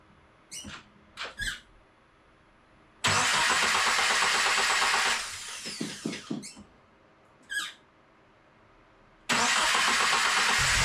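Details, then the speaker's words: Subaru FA24 engine swapped into VA WRX, first start: harsh, very loud metallic clatter and roar on each start, echoing in the garage, stopping when the engine cuts; sounded like a destroyed block, cause undetermined. "You can hear it sounds awful. This metallic noise was really, really loud in person, especially since it was like echoing through the garage. It sounded like the block was just destroyed, right?"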